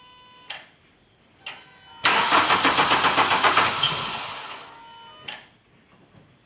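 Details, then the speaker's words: 2000 VW Cabrio (Mk2) cranks but won't start, making a brief firing attempt only when the key is released from the start position. The starter cranks evenly at around four beats a second. A bad ignition coil is the cause. "s soon as I let the key off you hear that little attempt for the of the engine to start up once you release it once you release the the ignition button off the stop position"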